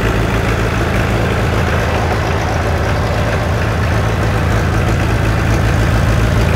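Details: 1960 John Deere 1010 diesel tractor, first run since budget engine rebuild, started with starting fluid: steady even diesel clatter at constant idle, no misses or knocks; sounds healthy.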